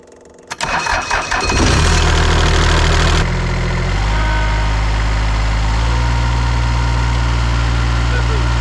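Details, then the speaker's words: Bobcat Ransomes Jaguar 4000 industrial mower with Mitsubishi diesel, left in a junkyard over 20 years, cold start after glow plugs: quick cranking catches within about two seconds, then a steady, even low idle. "let's go ahead and give it a cold start here give it some glow plugs"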